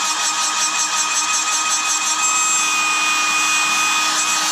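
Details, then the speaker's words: Hairdryer with small 12V DC motor, suspected dry bearing: steady shrill buzz over the fan rush at middle speed, absent at slow speed; high-pitched buzz. "whatever the noise is it's not there on slow screen but if I go up to Middle speed you hear"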